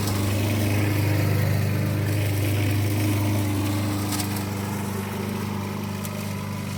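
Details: 1988 Briggs & Stratton single-cylinder push mower with auto choke, after a diaphragm repair, mowing: steady, even low thrum under load, no misses or surging; runs properly.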